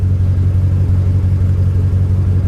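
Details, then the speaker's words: Salvage-auction vehicle, engine running: deep lumpy idle with uneven pulsing beat and heavy low rumble, seemed to backfire slightly, strong raw-fuel smell, warning lights flashing; rough running, cause unknown. "well that didn't run well it even sounded like it backfired a little bit yeah she doesn't sound good"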